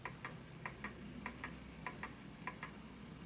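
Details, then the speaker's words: Smiths Enfield oak pendulum mantel clock, single key wind: ticks fall in uneven pairs, short gap then long, a limping beat; clock out of beat and stopping, nudged the other way to find the centre. "you'll notice that the sound makes it stop. It was uneven, so let's push it the other way."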